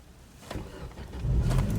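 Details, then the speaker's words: Chevrolet Lacetti that struggles to start cold (owner suspects a fuel problem), here started slightly warmed up. Clicks, then a quick catch into a steady idle; normal warm start. "все зараз все добре"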